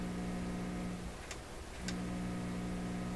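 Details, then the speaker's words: PYE 39HC shortwave broadcast receiver on shortwave around 9–11 MHz at full volume, fault developed during work: steady low mains-type hum with no stations or static; cause not yet found. "And all we get is this. That's full volume."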